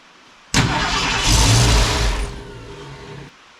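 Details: Ford Falcon wagon with swapped SBF 302 V8, after fixing miswired coil feed that lost power during cranking: about three seconds of rough starter churning without catching; cranks but won't start, cause not confirmed.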